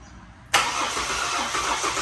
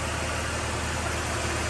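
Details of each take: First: Ford BF XR6 Barra engine freshly swapped into the car, on a weak-sounding battery: steady, even cranking for about five seconds without catching; it cranks but won't fire because the ECU plug is unseated (a MAP sensor was suspected at first). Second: Ford BF XR6 with swapped Barra engine after fully reconnecting half-plugged ECU connector; slightly rough at catch, then smooth, even, quiet idle with steady low hum, no knocks or misses; normal idle.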